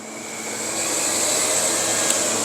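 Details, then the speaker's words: Yamaha R6 motorcycle with a rusted-out cooling system that had been found without coolant. The radiator fan is switched on and whirs up within a second into a steady, even airy hiss with no rattle or rubbing; it works normally. "I don't know if you could hear that, but yeah, it turns on the fan."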